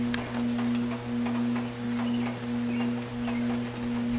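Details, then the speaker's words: Air conditioner outdoor unit on a hot day: loud steady low hum pulsing about once a second with the condenser fan barely moving or not starting, earlier starting very slowly; suspected failed dual run capacitor. "But oftentimes that's going to be your symptom of a bad capacitor is either a fan that doesn't start at all or a fan that starts very slowly. So like I said earlier, it did start very slowly. So I'm pretty sure we have a bad capacitor."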